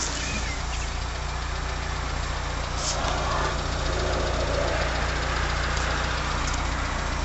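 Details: 1980 Leyland Mini started after about three months sitting, with water topped up and choke now off: smooth even low idle with a steady beat and no knocks, ticks or squeals; engine healthy and quiet.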